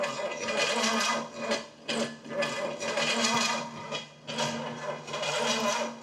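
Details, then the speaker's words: Pontiac 455 V8 (the $1,500 engine) during starting attempts: a high whir that keeps running on its own without the engine catching, as if the starter is staying engaged. Owner suspects a locked-up switch or arcing solenoid, possibly a loose connection. "Wait, what's it doing? It just kept going on its own. That was weird. Okay, now it's working right. It's like my switch just locked up."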